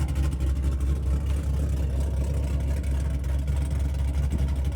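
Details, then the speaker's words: Salvage Camaro SS with a built 6.8L LS V8, big cam, headers and aftermarket clutch, in neutral: a loud, deep, choppy idle with an uneven cam lope, steady throughout. Normal cammed idle. "For as loud as this thing is in the rear of the car, for a big engine, a cammed engine like what this does."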